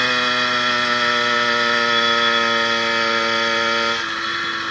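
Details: 80cc two-stroke motorized bicycle on a ride after fitting a new piston, rings not yet broken in, and an upgraded needle wrist pin bearing: smooth buzzy drone steady under load then easing off, previous top-end pinging gone; pulls hills at 26–28 mph.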